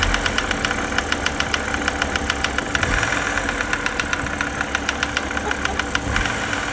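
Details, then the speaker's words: BMW E90 330xi at idle: sharp metallic ticking about three to four per second over a rough idle, not from the accessory drive; oil filter housing check found debris; internal engine knock, engine judged finished. "It definitely doesn't sound like accessory drive. He's really not happy now."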